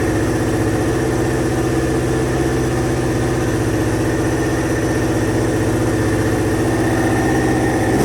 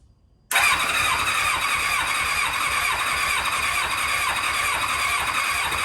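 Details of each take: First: 2000 Kawasaki Ninja ZX-7R 750 with no tank fitted, just revived from no-crank/no-start, warming up: steady, even low idle, then a few clean throttle blips rising and falling smoothly. Normal, healthy running; owner thinks the carbs need cleaning. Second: 2000 Kawasaki Ninja ZX-7R 750, after coils reinstalled and carb spray, with no gas in it: starter cranks steadily at about two compression pulses a second for several seconds but never catches; cranking without starting, no fuel.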